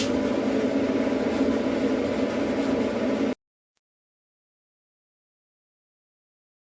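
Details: Performa dryer test run after replacing the idler pulley and reassembling: short, even tumbling hum with steady rhythm, no banging or scraping; normal dryer operation.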